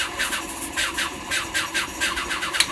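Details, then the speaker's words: Blower motor on a 1985 Sea Ray 270 boat squeals on switch-on, rapid chirping about four a second over the running fan; a bearing is out and the blower should be replaced. "the blower blower works but should be replaced there's a bearing out in it so it squeals when you turn it on you'll hear"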